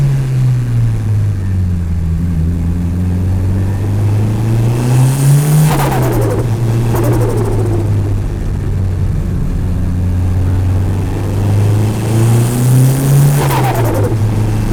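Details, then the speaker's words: Mitsubishi Evo turbo engine, recorder in engine bay: revs rise, then on each throttle lift a quick muffled fluttering chatter, air surging back through the turbo compressor. "go this thing is so sick well there you have it guys that is how to make your car do some hectic doses on the cheat"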